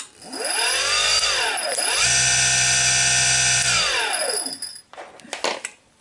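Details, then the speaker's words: Bosch Rotak electric lawnmower motor (just over 1 hp, 1700 rpm, 1900 rpm in "overdrive"), removed: smooth whine climbs, holds steady high pitch briefly, winds down cleanly; restarting engages overdrive, healthy. "so yeah you can kind of put it in overdrive by starting it letting it go and starting it again listen you can kind of hear it"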